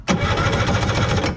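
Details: 1970s Wetco Wetbike two-cylinder, sitting about 25 years, throttle seized shut, during compression check (about 145 on both cylinders): brisk, even cranking pulses with no skips or drag; normal cranking.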